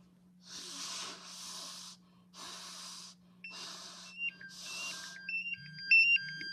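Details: MSA Altair 4X multigas detector after breaths into the unit, oxygen reading down to about 18.6–18.8%: quick, shrill, stepping beeps; low oxygen alarm tripped, stays latched until reset with the up button.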